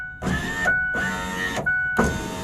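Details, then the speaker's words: 2004 Ford F-150 power window motor after repair, plugged in and run: three smooth, even, half-second whirs, steady in pitch and much stronger than before. The motor works properly. "wow sounds much better sounds much stronger than before I like it"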